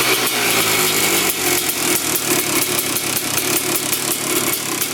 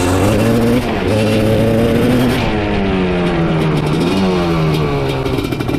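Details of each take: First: Honda TRX450R-framed quad with TRX250R two-stroke engine and 310cc big-bore top end, after carb cleaning, warming up; crisp raspy loud-piped crackle, clean quick throttle blips returning straight to idle, no air leak, coolant leak noted, normal running. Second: Honda TRX 310cc big-bore two-stroke quad (250R engine), missing airbox and air filter: loud revving that stumbles and wavers, breaking up around 3/4 throttle; owner suspects missing airbox, may need rejetting.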